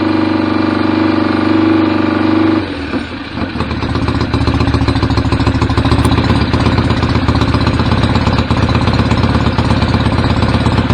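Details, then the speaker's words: BSA A50 Royal Star twin, bought as a non-runner, first running after restoration with pattern straight-through exhaust pipes: loud, steady, even idle after a brief stumble; owner unsure whether the air lever is fully off. Normal idle. "uh yeah so they're quite meaty but I know straight through pipes so hopefully we should have a running bike"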